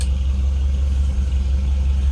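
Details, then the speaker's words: 1950 Mercury Monterey flathead V8. It starts right up into a deep, even low rumble with a steady exhaust pulse and no ticks or knocks. Healthy idle. "starts right up. You hear that little rumble out of that Flatty"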